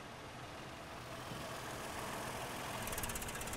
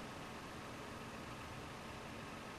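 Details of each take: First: 2007 Toyota 4Runner with P0016 code, bank 1: idle near 800 rpm starts smooth, then sags and shakes as if about to stall when the scan tool commands the oil control valve to 100% duty cycle, advancing cam timing; VVT responds correctly. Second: 2007 Toyota 4Runner with code P0016, in park: quiet, steady warm idle at about 800 rpm, VVT readings at zero, with no knocks, misses or surging; smooth, healthy idle.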